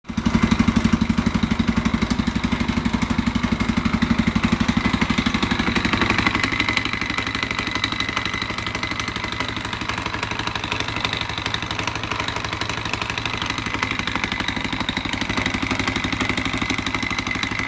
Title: KTM 520 EXC 2001 knocking noise